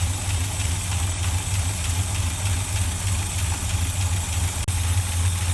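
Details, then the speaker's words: Rebuilt 1965 Chevy pickup V8, dual exhaust, first start after sitting 15 years: deep steady low thump, even pulses, no knocks or misses; normal smooth idle, oil pressure 50 psi. "just sit there real nice and easy sitting there the damn nothing idle that's how she was 20 years ago"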